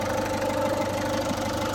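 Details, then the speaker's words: Ford Fiesta warmed up after long standing: idle-only constant whir with a light rattle from the engine front that stops when revved; owner suspects a tensioner, idler or timing component. "we've got that noise it's only on idle so if you rev it move the car completely stops so my suspicion is it's going to be a tensioner idler or something on the timing"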